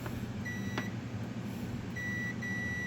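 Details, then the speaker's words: Multimeter continuity test between a heater and outlet earth ground, with a transmitter setup lighting LEDs: two clear steady high beeps over quiet room hum, showing heater and earth ground are connected. "if i do a continuity test between earth ground and the heater so continuity test between the heater and earth ground it'll beep so we know that earth ground and the heater are connected"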